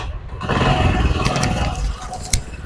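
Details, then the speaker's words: Honda CD 70 after repairing a faulty spring that caused loud internal engine noise: catches after half a second, settles into steady low putter with no ticking or chain rattle; runs clean. "तो यह तो दोस्तों आप देख सकते हैं अल्हम्दुलिल्लाह हमारे भाई का साउंड जो है बिल्कुल 100%"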